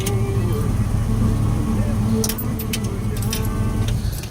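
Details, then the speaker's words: Two dual 12-inch electric cooling fans from a 3rd/4th-gen F-body LT1, fitted to an LS-swapped 1967 Bel Air, spin with a steady low hum and faint whirring whine; motor bearings wearing out, being replaced with new slimmer fans. "I don't hardly ever use them but the last time I tried you turn them on here and you'll be able to hear it got the bearings starting to go out of them"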